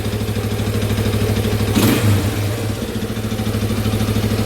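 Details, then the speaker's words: Restored Yamaha Warrior ATV single-cylinder with rebuilt carb, starting easily with a tiny bump of the starter. It fires instantly and settles into a steady, even idle with a clean rev. Normal start and rev. "I want to show you how easy this guy starts oh it barely even takes a bump just a tiny bump and it is running so perfect"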